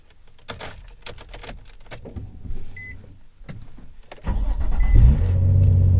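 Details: Nissan 350Z with VQ engine, in a crankshaft position sensor replacement job. Keys rattle, then a short crank catches and the engine settles into a steady, even idle with no misses: a clean, normal start.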